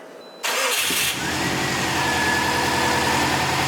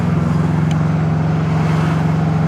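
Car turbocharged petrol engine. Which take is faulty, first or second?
second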